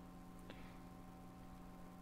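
A faint, steady low buzz sits under the amp with no playing; power-supply ripple from the half-wave rectifier leaking through.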